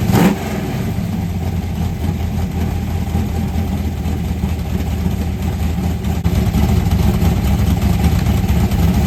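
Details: 1990 Lincoln Town Car, 5.0 V8 (1989 HO shortblock, 750 Holley, Anderson N4 cam, BBK long tubes, MSD ignition), T-5 manual: rough, choppy burble held at a steady raised idle on the two-step, crisp low pulses; fired up better after tuning, sounds healthy.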